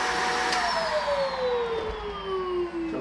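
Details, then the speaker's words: Vacuum on its third cup of baking soda: motor whine sags steadily lower as airflow chokes; it is struggling, machine saturated and powder blowing out the filter and leaking out the front. "she's really struggling now and now the baking soda is coming out the filter"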